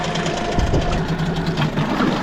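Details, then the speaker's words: Outboard with idle screw about half set, peeing good water, stop button and restart working; steady even idle with smooth low burble, no misses or knocks; normal idle. "Like I said, these motors are a little bit indestructible. These are really well-built motors."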